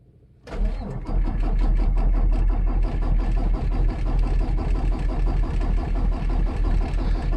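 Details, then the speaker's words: 2018 Peterbilt 579 diesel, hard starting since new, sat about 48 hours after the dealer replaced the priming pump assembly: the starter cranks steadily, about three compressions a second, without catching; no start, check engine light on, then starter protect engages. "there's the engine light is that warning it's actually worse than it's ever been so two weeks in the shop made it extremely works and there's the starter protect over you so I'll try again later"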